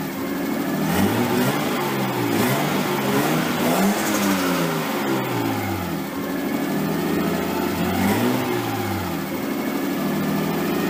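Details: Nissan 240SX S13 with swapped RB20DET, first start after over a year sitting, after ECU wire power restored and crank angle sensor reinstalled: fast idle well above normal with occasional throttle blips, running smoothly. Idle is way too high and AFR unset; it might be burning a little oil.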